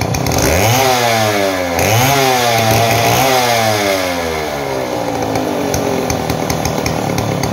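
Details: Model 070 chainsaw, brought in for no power and backfiring, revs up in three quick swoops then holds a steady bogged note through the cut with no misfire or popping; normal running under cut.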